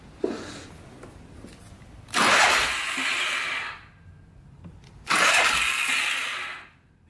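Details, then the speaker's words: Polaris 500 4x4 ATV with no spark: two bursts of high free whirring with no cranking thump. The starter spins without engaging; owner suspects tampered starter gear parts not engaging, and rubbing marks inside the cover raise possible clutch play. "hear the starter spinning let's see yeah it just continues to spin"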